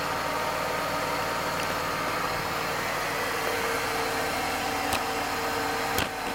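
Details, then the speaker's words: Mercedes-Benz W124 E320 (M104 inline-six) at idle, around 700-800 rpm, after an oil, transmission oil and filter service and belt dressing: a steady, even idle with no belt squeal or knocks. The engine sounds smooth and healthy. "Hai suara mesin menjadi halus"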